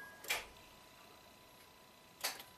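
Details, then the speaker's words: 2007 Acura RDX, 2.3L turbo, 210k miles, with an intermittent no-crank complaint, recreated after it sat a while; the starter positive post is confirmed hot. Two sharp single clicks about two seconds apart with no cranking: solid solenoid click, starter motor not spinning. "solid click but the motor is not spinning"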